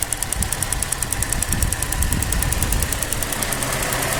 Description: 2007 Pontiac g6 Gtp ticking noise at idle.